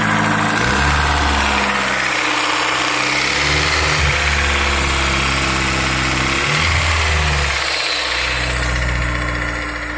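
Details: Honda S2000 AP1 petrol engine at idle with a light, fairly quick tick or rattle over a steady hum.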